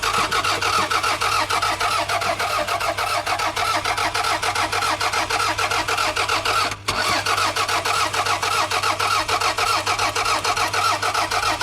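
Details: $500 used car with a missing vacuum hose and fuel in the tank: starter cranks steadily for over ten seconds with even rhythmic chugging, never firing. Owner unsure, suspects no fuel or spark. Crank, no start, cause unconfirmed.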